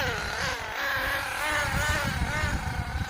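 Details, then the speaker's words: HPI Firestorm 10T nitro RC car after refitting wrongly installed carburettor barrel: engine buzzes unevenly, pitch wandering with stuttery low pulses, bogging down and cutting out; needs tuning of idle screw and needles, carb still worrying. "like she is bogging down a bit. So, and cutting out again."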